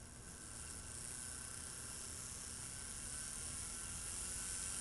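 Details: Homemade rotary Edison-style engine with four bearings and old car contact-point ignition: a steady, even buzz with a faint hum holds at constant speed; running smoothly at maximum speed.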